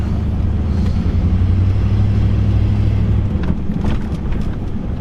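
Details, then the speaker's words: 1999 Dodge Ram 1500 Sport 4x4, 5.9L V8, after replacing an extremely loose track bar that caused clunking and death wobble; rolling through a parking-lot dip, steady low road rumble, no front-end clunks; suspension tight, alignment still needed. "I don't have the clunk clunk anymore that I used to have when I would hit those bumps. Everything feels super tight."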